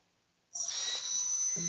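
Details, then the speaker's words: F-16 ducted fan unit run up on the bench: high steady fan whine, then low buzzing hum louder and higher once set on the table; fan is badly out of balance. "for those of you that have this plane yes it's going to be out of balance you may not notice but just because you don't notice does not mean it's"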